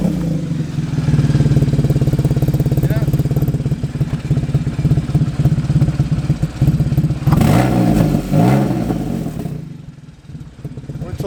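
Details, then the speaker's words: Porsche 981 Boxster S, running fine with no warning lights, but making a horrible noise, especially at idle. Loud, rapid chuffing rides on the idle and grows with revs. An exhaust leak at the manifold joint is suspected, later linked to the exhaust bolts. "like the exhaust's blowing on it. No lights whatsoever. We're thinking something's blowing on the manifold or the exhaust. It's running fine, it's just making a horrible noise, especially at idle."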